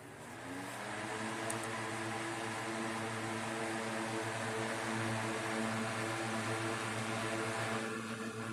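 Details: 1960s 16-inch Toastmaster box fan started up after storage since late 2022: steady, even whir with constant low hum, no rattle or wobble; still runs good but owner says it needs cleaning and probably servicing.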